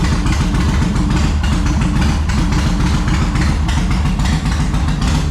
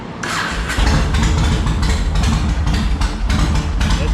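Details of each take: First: 2004 Yamaha Road Star Midnight Edition V-twin, cold, on choke after new fuel pump, filter and hoses: uneven lumpy beat that never settles; junk buildup inside the carburetor, cleared by covering intake while throttling on full choke. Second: 2004 Yamaha Road Star Midnight Edition V-twin after clearing carburetor junk by covering intake while throttling on choke: short crank, catches at once and settles to a strong steady lumpy idle; fires up much better now.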